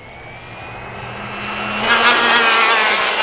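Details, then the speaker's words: Arrma Infraction Mega RC car converted to 3S brushless, near-factory gearing, full-throttle speed run; whine climbs steadily then harsh buzzing rattle at top speed as the center driveshaft vibrates from spinning so fast; aluminum upgrade considered. "that's the center drive shaft of vibrating because it's spinning so fast so we'll have to look into an aluminum upgrade for that one"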